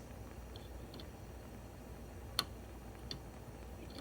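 Sharp, irregular ticks over a quiet room: a stove igniter still sparking though the burner is off.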